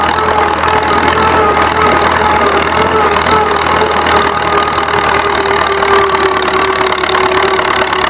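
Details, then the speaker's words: Old Massey Harris 30 tractor towing a 4,000-pound roller on gravel: a steady engine drone with a slight crackle, the pitch lifting a touch as the governor opens on a slight incline. Normal running under load. "But just listen to this old motor cackle a little bit, and listen to the governor open up whenever it goes up this slight incline right here."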